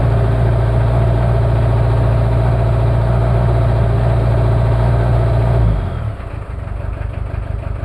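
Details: Cold start of a Toyota 2L-T diesel after piston rings were replaced without a top overhaul: heavy, uneven clatter at idle with a lumpy beat, then it shuts down. Rough idle from one bad injector, with possible cylinder head issues.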